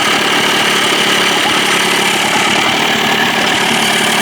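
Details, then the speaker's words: Johnson 25 hp two-stroke outboard that was lean-sneezing because of a suspected clogged slow-speed needle, cleared without removing the carburetor; even, buzzy idle holds steady with no stumbling or sneezing. "well I think that worked ladies and gentlemen thank God sounds good right"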